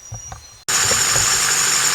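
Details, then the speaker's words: LMM Duramax diesel idling with a thin, steady high-pitched squeak-chirp from the serpentine system; belt, tensioner and idler pulleys to be replaced. "things got a terrible squeak chirp whatever you want to call it coming from the serpentine system drives me absolutely nuts"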